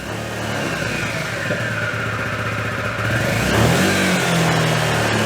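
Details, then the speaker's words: 2003 Honda Metropolitan 2 moped, small two-stroke, previously non-running, after throttle cable slack adjustment: a throttle blip buzzes up, then revs sag back lazily instead of dropping right away. Slow return to idle, cause suspected, not confirmed. "It's kind of didn't really return to idle as fast as I'd like."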